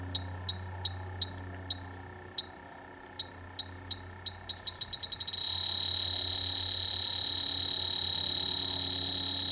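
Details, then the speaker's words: Dry air generator that lost its refrigerant over 24+ months, H10 leak detector probing the large evaporator coil: slow ticking speeding up into a steady high shriek; leak found in the evaporator coil, possibly leaks all over it. "Well, it's definitely something there. It's quite a big coil, so it could be an isolated thing, or it could be they could have leaks all over it."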